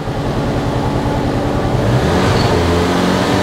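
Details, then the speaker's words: Mk7 Ford Fiesta 1.25 Zetec salvage car idling in neutral with no throttle input: revs swell and sag on their own with a faint stumble, a hunting idle; the owner suspects a damaged inlet manifold, and the spark plugs were worn with large gaps. "not touching the throttle there i'm not touching it it's doing that itself"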